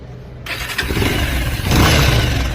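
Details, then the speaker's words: Bajaj Pulsar 220 after replacing the broken timing chain tensioner with an original part: starts cleanly and picks up on throttle with no metallic chain rattle; sounds like original, healthy. "Original જેવું sound થઈ ગયું ને? થઈ ગયું ભાઈ. આ powerful."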